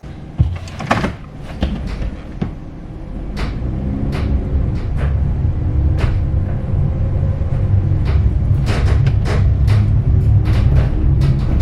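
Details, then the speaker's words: Empty bare-metal 2018 Ram Promaster 2500 cargo van before sound deadening, recorded by a front-mounted microphone while driving at various speeds over bumps and construction: loud clunks and rattles over a hollow, echoing road drone; body rattle and cabin echo. "so at various speeds and various differences in the roads and going over bumps and through construction work you can hear how this van just rattles and Echoes around back here"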